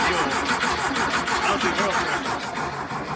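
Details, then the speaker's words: 1973 VW Thing with swapped-in VW Beetle engine, restart: steady starter cranking about three turns a second that never fires; fuel pump not pulling fuel, no fuel delivery; oil light still being watched. "yeah it's not it's not pulling fuel pressure some gas in it so we just gotta go for a start now and see if that oil light turns off"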